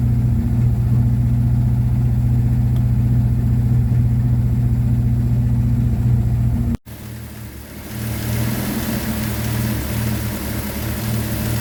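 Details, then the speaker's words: 1954 Ford Popular 103E, choke on, fired on the first turn of the key: steady, even low idle with a smooth beat, unchanged when the headlights are switched on while checking coil voltage. Battery charging, normal idle. "First turn of the key, choke on with the old trusty close peg, and it fired straight up. But the car's running."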